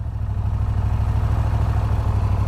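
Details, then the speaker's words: 2017 Moto Guzzi V9 Bobber, 853 cc fuel-injected 90° transverse V-twin, just started: deep, steady, loping thumping idle with strong vibration, no rattles or misfires; normal idle. "il est maintenant temps de la démarrer j'adore j'adore vous avez vu comme ça vibre regardez-moi"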